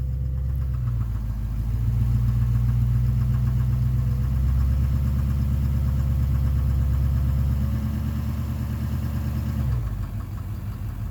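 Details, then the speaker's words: 2009 Chevrolet Duramax LMM dually diesel after AMSOIL injector clean, in gear with foot on brake and slight throttle: low idle with a faint light knock about three a second, much reduced; owner suspects injector 5, maybe 8. "Okay, oh, a little bit of a knock. But it's very, not nearly as bad."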